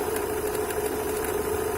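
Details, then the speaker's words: Opel Astra G 1.6, knock from lower left of engine starting after an oil change to 5W40; steady idle with fast, light even metallic tapping; water pump impeller or bearing suspected, timing cover showed nothing, changes as it warms; idle knock. "вот такой вот дебильный стук со стороны ремня грм такое ощущение что"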